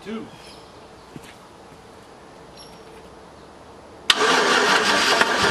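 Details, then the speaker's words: 2006 GMC with the 5.3 Vortec V8, sitting about four years: near silence, then it suddenly catches into a loud, busy run at about four seconds. First start after storage. "okay all right let's see what happens moment of truth about four years been sitting 2006. five point three"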